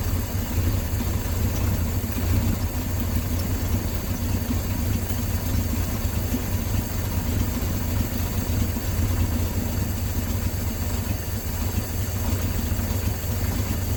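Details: 1968 Dodge C600 shop truck, back running after nearly a year. Deep, slow, even rumble at a normal low idle of about 420 rpm, read on a tachometer while the carburetor mixture screws are set; no misses or knocks.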